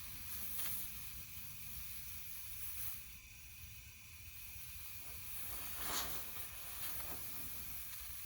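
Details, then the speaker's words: 1984 Honda ATC70 50cc engine on a leak-down test: a steady soft hiss of air escaping under pressure, with handling clicks. Leakage past a bad intake valve; the top end will be removed to inspect. "oh i just didn't have a seal up good well we don't have to go any further it looks like we have a bad intake valve"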